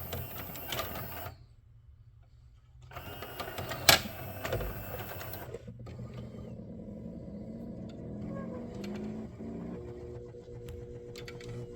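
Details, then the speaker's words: CED player (believed SJT-090) fitted with 3D-printed prototype third reduction gear and transfer rod coupling, jammed with a wedged screwdriver: the motor keeps humming under load with a light rattle; the gear's spokes fail to break as intended, risking burning out the motor. "[Music] so we're just going to wedge a screwdriver in there get rejected no it's going to burn the motor out so it's not breaking like it's supposed to"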